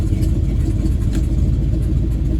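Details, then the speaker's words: Old TBI pickup truck with exhaust/donut gasket leaks, running on freshly filled tank of new fuel: low even rumble, no stumble or surging; runs well, while the other tank runs worse, possibly pressure or filter issue. "But yeah, it's freaking runs good."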